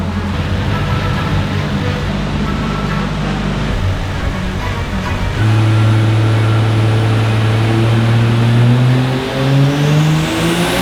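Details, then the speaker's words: Ford Fairlane drag build full-load dyno run after misfire fix, testing newly installed two-step: strong deep note climbing steadily, no stumble or breakup; misfire fixed, data looks much better. "Well done. Is it better? Please tell me it's better. Yeah. You happy? Yeah, I'm happy it's fixed."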